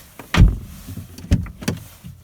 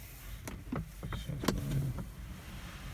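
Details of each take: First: 2018 Lada Vesta door check strap after modification with tightened detent balls: a few firm clean clunks as the door swings and stops at each detent, no creak or squeak; squeak fixed. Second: 2018 Lada Vesta door creaking with a sliding, rising groan each time it swings open or shut, from the door check straps (limiters), before they are modified.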